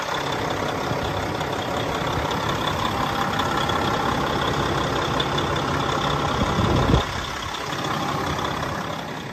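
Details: 2016 Freightliner Cascadia Evolution with DD15 diesel, engine left running for a listen: steady, deep diesel idle with an even low clatter and a brief bump near the end; nothing irregular, normal idle.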